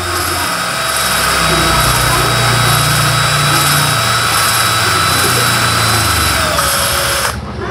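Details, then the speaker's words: Honda Supra Fit motorcycle head (owner complained of noise and weak power), valve being lapped on its seat with a drill: steady whir with a coarse, gritty scrape; freshly started, the seat is still rough, not yet lapped. "Jadi kalau yang baru dimasukkan itu suaranya kasar sekali ya Jadi kalau dia sudah lama itu dia agak halus ya"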